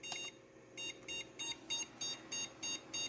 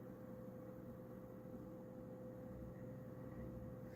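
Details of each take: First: Prosys S478 socket 478 PC found in a hallway, at power-on: a high beep repeating about three times a second, stopping after a while; it fails to boot, cause unknown, and runs again after percussive maintenance. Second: Prosys S478 socket 478 PC found in a hallway, running in a cold space: quiet, steady fan hum with constant low drone; a suspected rattle is gone, no ticking, and it sounds normal.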